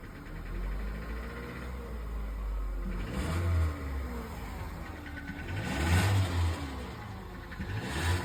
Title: Nissan Qashqai Engine Knocking #nissanqashqai #engineknock #automobile #mechanic #subscribe #nissan